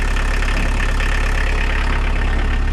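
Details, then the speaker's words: VW T25 with a 1900 diesel engine swap, idling after a start following the swap, before a rev-up. Smooth, deep, even diesel clatter with no misses or knocks; a healthy idle. "I still can't get over how it starts so much better than they used to you know the old ones are terrible things"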